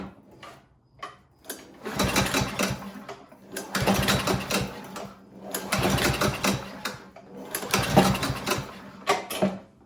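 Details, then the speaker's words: Cub Cadet ST100 walk-behind string trimmer with fresh oil, a full tank and a clean air filter; stale gas is suspected to have clogged the carburetor. Four rope pulls, each a short rattling spin that dies without firing: no start. "Sure enough, it doesn't start."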